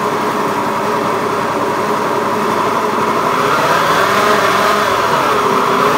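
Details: Honda Beat FI eSP eco scooter revving, coarse gravelly buzz rising with engine speed instead of a clean whir; rough engine noise when revving, cause not identified.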